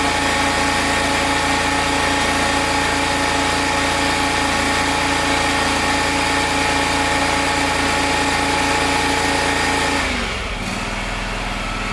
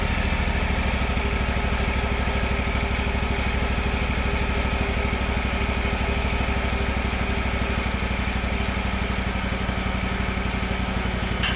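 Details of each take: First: Gravely 260Z zero-turn mower, about 2006, Kawasaki V-twin, after carburetor replacement: steady too-fast idle then sharp drop to a slower beat, as the unlocked idle screw that had vibrated in is turned down and locked. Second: Gravely 260Z zero-turn mower, about 2006, Kawasaki FD750D V-twin, new aftermarket carburetor fitted and idle screw reset, not fully warmed up: steady, even idle with quick regular beat, no surging or hunting left.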